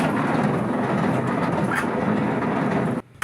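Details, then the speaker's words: Maytag Atlantis washer, large tub, filled with water on a small wash cycle: loud, continuous rough grinding and rattling while agitating; spin works but it won't wash properly. Damaged transmission suspected, not confirmed. "La falla es que no hace su lavado. Hace mucho ruido cuando está haciendo lavado. Entonces se supone que lo que está fallando aquí es la transmisión y hay que revisar la transmisión."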